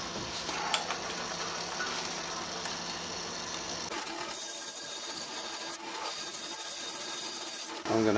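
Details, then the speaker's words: Mini lathe grooving a 5 kg cast iron gym weight for a homemade rotary table: harsh, uneven rasping scrape changing character mid-cut, tool chattering and grinding; a stuck disc brake left on the back is making hideous noises. "have to take this thing off here and get that thing out because it's making hideous noises"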